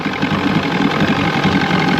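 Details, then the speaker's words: 1996 Force 120hp two-stroke outboard on a Bayliner Capri, just after new water pump installed (old pump likely damaged running on hose and ears), pumping well: steady, busy idle with even rapid patter, no misses or surging; healthy. "All right, we got our new pump on. It's paying good."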